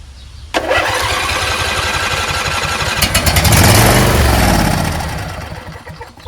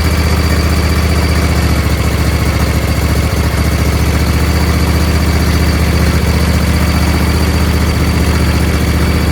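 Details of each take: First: Husqvarna YTH20F42T lawn tractor repowered with a Briggs 21HP V-twin, first start after unknown storage: starter grinds, engine catches briefly, swells then sags away instead of idling. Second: Husqvarna YTH20F42T tractor with a Briggs 21HP V-twin, after freeing the stuck fuel solenoid, taken off choke: a steady, even low beat holding speed with no misses or surging. It runs smoothly.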